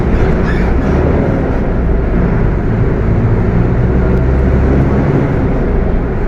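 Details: Mercedes-Benz OF 1721 BTC 5 bus (Apache Vip IV body) while driving: deep, steady low growl rolling under the engine noise throughout; transmission growling loudly, pointing to a noisy, worn gearbox.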